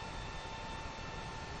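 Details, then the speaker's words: Creality Ender 5 Plus 3D printer printing after a swap to a silent-version mainboard: motors are dead quiet, leaving only a soft steady power-supply fan hiss with a faint thin tone, with no stepper whine or buzz; normal quiet printing. "it's uh motors are all dead quiet only noise now pretty much is the fan on the meanwhile power supply it's pretty incredible"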